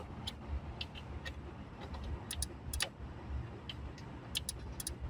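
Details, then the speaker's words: Relay clicking on a 2G DSM (built July 1998) at idle after loosening and refitting a ground while chasing light faults: sharp, irregular dry clicks, several a second; source traced near a Bosch metal block low down, possibly a poor ground. "Where's that clicking coming from? Why is there clicking down there?"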